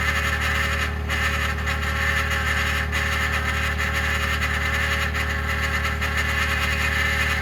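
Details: 2021 Ford F150 PowerBoost remote cold start at -16°C: constant rough droning grind over cold idle with low steady hum, like a fan rubbing its housing; occurs only below about -11°C, quiet after ~10 minutes warm-up; cause unclear.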